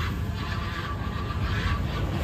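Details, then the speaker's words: Freshly rebuilt 2002 Lincoln Navigator 4-valve 5.4 V8 swapped into an F150, first start: idle rumble with a thin steady whine from the power steering pump starved of fluid, easing once topped up; oil pressure good. "maybe that's what that is they just sucked down all the fluid yeah that's exactly see what it is power steering pump is less mad now that I got it filled up with some more fluid"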